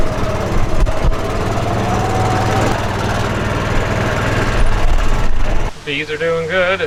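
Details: Old golf cart small engine after sealing a head gasket leak that was losing compression: steady even beat with light valve tick from wear, no more hissing air leak; head gasket leak fixed, runs healthy.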